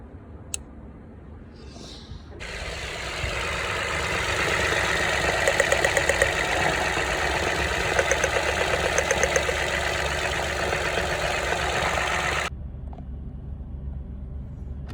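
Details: Toyota Aygo/Citroen C1/Peugeot 107 three-cylinder petrol engine, previously misfiring from a burnt ignition coil: steady low idle hum, with a loud hiss covering it for about ten seconds.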